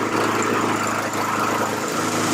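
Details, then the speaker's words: Honda HRR216VKA single-cylinder mower restarted hot after 15 minutes of running, to rule out a bad ignition coil. Steady, even speed with no misses or surging, sounding healthy. Owner suspects bad fuel, since the tank held a lot of trash, and plans a new fuel filter. "All right, this ran for a solid 15 minutes We're going to fire it up again."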